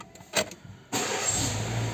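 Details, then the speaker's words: Renault Megane 2 after ECU software reflash (before: hard starting hot or cold, injection warning, no power, shaking, idle fluctuation): catches on first crank into smooth steady idle, no stumble or hunting; faults gone. "görünce gibi Tek marşta çalıştı enjeksiyonu kontrol ettim arızaları gitti ve arabada silkeleme vardı rölanti hepsi gitti arkadaşlar"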